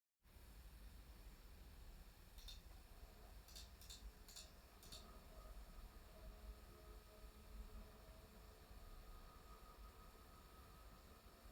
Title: 5070ti palit gamingpro fan bearing grinding noise @ 30% speed.